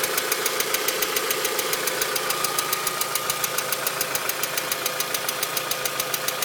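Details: VW Mk4 2.0 engine at steady idle with a crisp, even tick about three or four times a second; cause not yet diagnosed.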